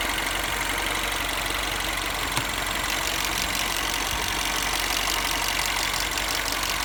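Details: 2008 Mini Cooper S R56 after a new timing chain, warm idle: a fast, light ticking that comes and goes over a hiss, absent when cold or revving and with good performance; intermittent ticking, cause unconfirmed.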